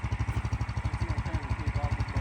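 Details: Big block single-cylinder mini bike after idle turned down on first test: even thumping about twelve beats a second, no stumbles or misses; steady, settled idle.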